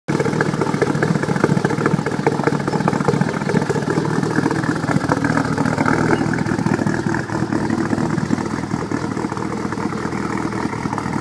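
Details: Cold morning start with rough idle: choppy, uneven, loping beat about two per second with no settled rhythm; owner says it sounded like cams.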